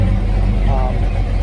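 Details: Carbureted V8 Ford truck with a 2-barrel carb and 3-speed FMX auto, not driven in a couple of weeks, very warm day: deep, even low rumble settling into a steady idle with no misses or knocks; normal idle.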